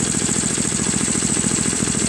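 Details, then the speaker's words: Craftsman 522 snowblower with Tecumseh engine, sat for years: at full run setting it only putters at low, even idle with a faint high whistle and won't speed up. Owner suspects fuel starvation from a collapsed fuel line or a carburetor needing cleaning. "Now full run, it runs, but on low throttle, which means it's not getting enough fuel."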